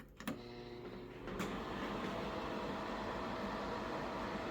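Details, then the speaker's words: Old, small bathroom exhaust fan in a 1960 house, before replacement with a Panasonic FV0811RF2, switched on: a click, then a loud, steady whooshing hum; noisy fan that barely pulls air (can't hold toilet paper). "so as you can hear in this one this fan is quite loud"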